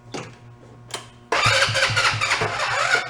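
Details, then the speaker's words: Two-passenger CVT ATV, about 150cc, sat for a while, cranking with brake pedal held: starter turns slowly and unevenly, about three labored strokes a second, not catching; dead battery, put on charger. "Yeah, the brake pedal. And that would be a dead battery. Throw it on the charger."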